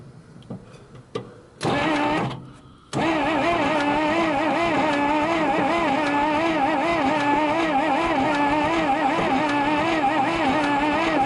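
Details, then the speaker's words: 1962 Dodge 100 cranking after about 25 years unstarted, old Carter carburetor: a few clicks, then steady fast cranking with no strong compression pulses; low compression suspected, not tested. "Well, she sure don't have much. Not much at all. But it might be enough to get it fired up and started."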